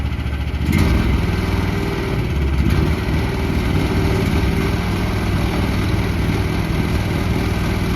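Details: 2024 FF Industrial FF13 mini excavator, Briggs & Stratton engine: steady low-pitched drone holding even speed with no knocks or misses; healthy small engine idling normally.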